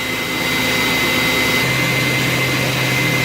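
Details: Viper Jet 300 amp starter generator running with a 5-11-0036 Master Control Unit, recharging Deka ETX30 and ETX20 batteries at 97.5 A to 28.5 V: a steady high whine over an airy rush at an even pitch. Normal charging.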